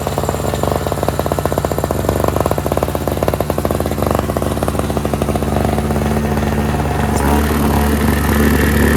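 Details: NOMA 4.5 hp Tecumseh two-stroke 21-inch single-stage snowblower, pull-started after the tar-clogged fuel filter was replaced: crisp, rapid popping at steady beat, smoothing as speed rises near the end. Runs cleanly and strong, normal.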